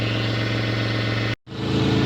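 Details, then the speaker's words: Toyota 1MZ-FE V6, first start after a bearing repair, idling while warming up: a raspy, puffing edge over the exhaust beat from an exhaust manifold leak, with no knocks heard. "at's just a bit of an exhaust leak. We'll worry about that later. Right there, isn't it? Right here, I can feel it. Manifold."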